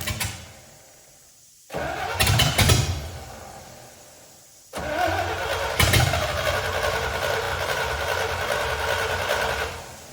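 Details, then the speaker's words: C65 dump truck with a carburetor swapped in from a Ford 300. It catches, stumbles and dies, then restarts running unevenly with a wavering note. Fuel-starved. "Okay, so since last time, I absolutely could not get it to prime. I think because there's so many fuel lines and it's got a heavy duty fuel filter."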